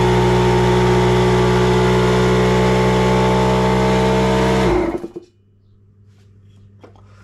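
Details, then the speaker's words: Homemade hookah diving rig with Stanley oil-free compressor and activated-charcoal filter, tank at 10 bar, regulator at 4 bar: even motor drone, no air-leak hiss, stops near five seconds; no leaks, air delivered, healthy. "Alors, voilà, là je suis à 4 barres, il s'est pas redéclenché. Donc, on est bon. Donc on entend pas de fuite, tout est bon et l'air arrive."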